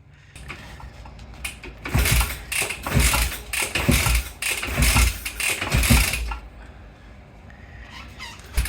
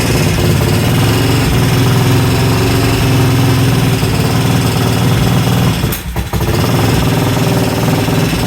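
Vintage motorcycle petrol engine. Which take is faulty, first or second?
first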